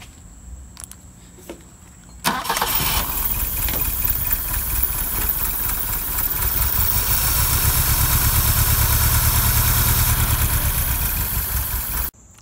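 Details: Fuel-injected engine in a BMW 2002tii wired with proper battery cables direct to starter and block, bypassing car wiring: brief crank, catches at once, steady even idle for ten seconds, then clean shutdown; healthy start.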